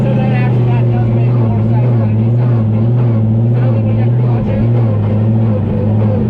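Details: Supercharged Formula Drift ProSpec car being repaired after damage, idling in neutral: steady low idle with a faint uneven rattle underneath that goes away with the clutch pressed. Transmission noise in neutral suspected, not confirmed.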